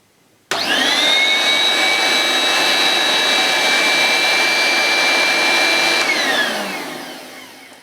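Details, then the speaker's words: 1980s Hoover S1083 Brushvac mains-powered bagless handheld vacuum with belt-driven brushroll, first switch-on: motor spins up to a steady high whine, even pitch, no rattle or scraping, winds down smoothly; normal motor run. "that sounds okay to me I couldn't see if the brush roll was rotating so I'll turn it on again and we'll just see if the brush is going seems fine and dandy like sugar candy"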